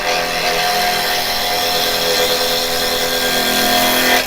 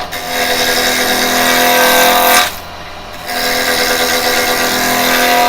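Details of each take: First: Carbide chisel (Type 3 set) turning a 6-inch plum piece on an Axminster 1628 lathe, handles down and cutting above centre: smooth steady whir with a constant cutting hiss and no grabs or knocks; a clean cut without catches. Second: Carbide chisel (Type 3 set) turning plum on an Axminster 1628 lathe: harsh buzzing rattle while cutting that drops out briefly then returns; the tool chatters because a gap has opened and the bevel has lost contact with the wood.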